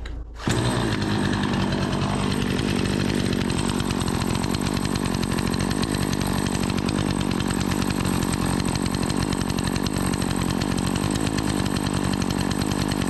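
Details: Remington 46cc two-stroke chainsaw, sat unused a season after running poorly, now repaired: starts, then settles into a smooth, steady idle buzz with no stumbling or surging during an oiler check; normal idle.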